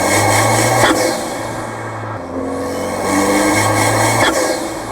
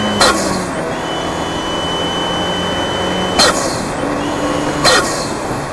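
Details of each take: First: Fiat 124 Spider Abarth with atmospheric Forge blow-off valve on its pre-installed yellow spring, engine mic'd: drone rises and falls unevenly at low rpm under load with airy puffs, boost surging and not pulling smoothly down low; fixed by fitting the stiffer blue spring. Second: Fiat 124 Spider Abarth, tuned (tune unchanged), after fix: wastegate actuator spring swapped yellow to purple and BOV crack pressure lowered from about 11 to 9.5; steady pull with clean whooshes at gear changes, no stutter or low-rpm surge; boost normal.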